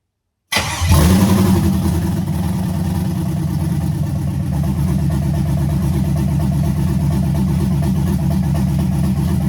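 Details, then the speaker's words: Chevrolet C10 with LS swap, first start after wiring it back in with a makeshift relay: fires right up, loud even open-header burble, steady beat, no misfires; heat gun confirms all cylinders firing, normal idle, brief run. "yes yes she's fired up see if we can get it running a little bit longer"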